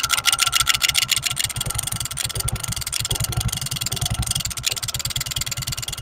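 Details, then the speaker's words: Honda Pridor 100cc motorcycle at idle: fast metallic rattle, about 3.5 per second, easing when revved; play in the flywheel magnet rotor, not internal damage; fix by removing rotor with 14 mm nut. "Pregnant जब यह magnet यानी की पकड़ करता है तो इनमें थोड़ी सी प्ले पद जाती जिसकी वजह से दोस्तों ये आवाज़ पैदा होती"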